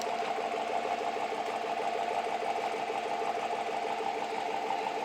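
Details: 2007 Chevy pickup with a new Flowmaster FX muffler and 3 to 3.5 in pipe, replacing an exhaust that rattled, at idle and revving: an even, smooth mid-pitched drone with no knocks or rattles. A healthy exhaust note.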